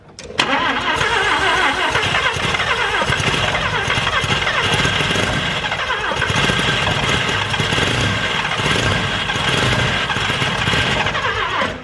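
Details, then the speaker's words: Series 1 Mazda RX7 12a rotary barn find, first start in 10 years, cold: rasping crank for about eleven seconds with brief stumbles, never runs; carb tuning, choke or fuel supply suspected, not confirmed. "It's getting better. It wants to do stuff. It does want to do stuff."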